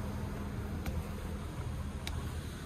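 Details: Construction plant machine with an engine oil leak, with fresh engine oil and coolant topped up, run at low idle to warm up. Steady low diesel rumble, even with no knocks or misses; engine sounds healthy.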